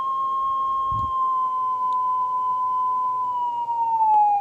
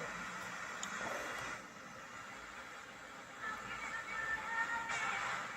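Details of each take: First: Stern tape recorder, speed adjustment with a test tape: a clean tone near 1 kHz slides as the speed trimmer is turned, dropping to about 600 Hz when slow and rising to 1.2 kHz when fast; tape speed incorrect. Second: Old wooden Stern Recorder tape radio refurbished after a blown transistor was fixed and a potentiometer set to about half: clear broadcast plays steadily without crackle or dropouts; radio section receiving and working.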